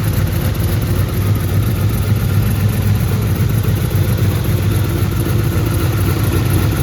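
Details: Turbo Trans Am engine first start after partial overhaul (revised heads, new camshaft, valves adjusted, new turbocharger), on break-in oil at raised rpm for 30-minute break-in: steady, even low rumble free of knocks or ticking; oil pressure great, normal fast idle.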